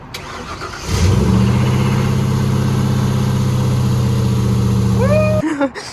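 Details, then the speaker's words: 1996 Ford Econoline Club Wagon, 5.8 L 351 Windsor V8, started after replacing the burned-out starter and the solenoid: a short crank, then it catches at once and settles into an even, steady idle before shutting off. A normal start. "All right, it turns out it was the solenoid. So we put a new solenoid on there, a new starter."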